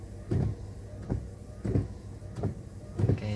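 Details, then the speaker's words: Toyota Yaris with new replacement wiper blades on wet glass, heard from outside at fast speed: soft, even swishes with no chatter or squeal, barely audible, normal windshield wiper operation. "Oke kita Nyalakan wipernya kita cepatkan Oke bunyinya seperti itu tidak terlalu terdengar ya"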